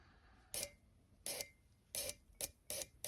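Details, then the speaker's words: Injectors removed from a UAZ Bukhanka engine, tested on a rig: short, sharp hissing clicks about twice a second; all injectors spraying, checked for equal flow, working normally. "Не ну что все форсунки у нас идет Главное чтобы они одинаково Лили"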